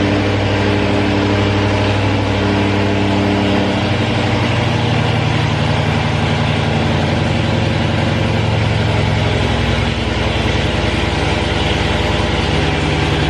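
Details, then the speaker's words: Supercharged V8 (hellcat-charger tags) idling after reinstalling supercharger rebuilt with new bearings; deep steady idle with even low rumble, no knock, rattle or rising whine throughout. "So shoot, we're gonna go ahead and crank it up and hope it don't blow up."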